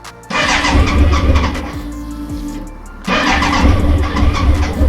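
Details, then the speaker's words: BMW K100 motorcycle, first start attempt after storage since 1998: two long cranking bursts with steady chugging beat that never catches; cranks but won't start yet. "remember this is the first time it started since 1998 yes oh so close so close"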